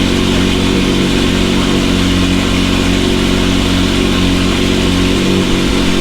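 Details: McLaren 720S engine after repair of Time Attack oil-overheating failure, idling after cold start: steady even idle, deep smooth drone, no knocks or misses; stable oil pressure at idle; normal idle.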